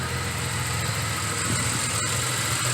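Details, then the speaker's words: 1986 Nissan 300ZX, warm, idling after a sudden-stall fix and five minutes at 2500 rpm (a slight missing sound was noted then): steady, even idle with a smooth low hum and no stumbles; engine healthy. "really good somebody's warm now it's sitting here yeah"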